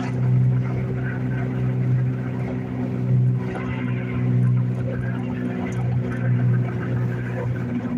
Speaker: You guys hear how bad that wheel bearing's gotten on the car.